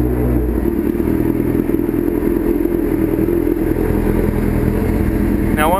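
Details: Street bike after starter rebuild (owner's starter had failed when hot), started with a little choke in winter: even, steady exhaust burble with no misses or knocks, starts and idles cleanly; normal idle.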